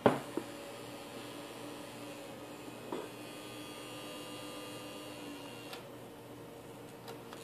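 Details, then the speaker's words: Lanner Electronics 7565E pfSense router after a power supply swap: a low, steady fan hum with a faint electrical buzz and no rattle or whine. It sounds the same as the original unit, so it is running normally. "But it sounds like the normal sound the other one was making, so, and we're good."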